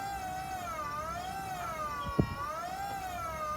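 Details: Vauxhall electric power steering pump on Metro 6R4 replica, run unloaded: clear high jet-like whine gently wavering in pitch, one brief click, nothing grinding; running normally, untested under load.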